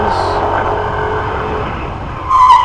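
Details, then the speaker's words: 2021 Yamaha NMAX scooter at about 12,210 km, riding at speed: it rolls along steadily, then a short, steady mid-pitched buzz cuts in on braking; the ABS pump is cycling when it shouldn't. "bastante agora agora Fez é só frear principalmente que e faz esse barulho aí não é para fazer"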